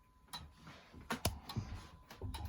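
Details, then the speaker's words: Thomas Kefford longcase clock movement after rebushing, ticks picked up through an amplifier: crisp, evenly spaced ticks in a quiet room. The movement is in beat and has run steadily since Friday. "So we'll let it do that on camera, and as you can hear, we've got the ticking on an amplifier just so you can hear it and pick it up, because it's pretty much in beat. It's ticking away quite nicely, and it has been ticking away in this position for a couple of days, actually since Friday."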